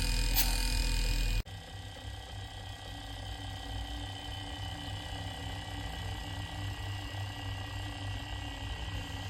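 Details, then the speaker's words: Inverter AC (Onida/Lloyd/Whirlpool) after PCB repair: outdoor unit compressor and fan running with steady low hum and faint even whine, no knocking or rattling; normal running, indoor motor also running. "आप compressor की आवाज सुन सकते हैं। हमारा compressor अभी चल रहा है, और हमारी बाहरी मोटर भी चल रही है।"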